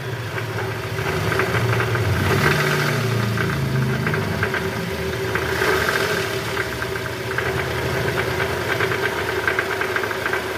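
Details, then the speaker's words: Toyota Estima 2AZ-FE at 152,000 km, AC on and in gear, blipping: rough, fast tak-tak knocking about three per second from low down at the oil pan; worn, loose balancer shaft. "Nah itu guys, suaranya kasar banget ya. Nah. Suaranya kasar, ada bunyi tak tak tak tak tak tak tak tak."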